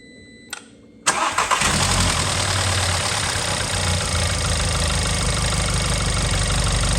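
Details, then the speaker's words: Audi A1 1.4 TFSI (CAXA four-cylinder petrol), started after a filter service with the charge pipe and sensor refitted: a brief crank, then it catches at once into a smooth steady idle with no misses or knocks. Normal start and idle. "okay finally we can start the car"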